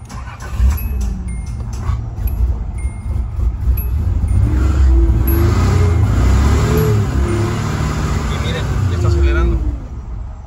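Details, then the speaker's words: 1986 Nissan 300ZX 3.0 no-start: with brake cleaner sprayed into the air intake, the engine catches, surges unevenly, then sags, indicating fuel starvation; fuel pump reportedly replaced. Fuel pressure to be checked next. "entonces quiere decir que si le está faltando este combustible entonces voy a buscar la manera de de checar esa presión a ver qué es lo que está pasando"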